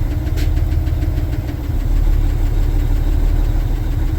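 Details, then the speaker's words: Cat C-12 diesel in International dump truck idling outside at about 15–20°F: faint regular knock, suspected fuel or valve-train knock, slight smoke; cylinder cutout test shows knock drops sharply with cylinder two cut out. "let's do a cutout test you can hear it okay it's significantly decreased with number two cut out yeah so listen to this again"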